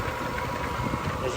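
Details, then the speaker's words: Homemade rock tumbler after rebuild with new bearings (old bearings suspected of the noise after months of nonstop running), temporary undersized belt: smooth even hum with light steady rumble, no knocking or grinding; much quieter, about 75-76 dB versus nearly 90 before. "and I'm very happy these bearings are so much quieter"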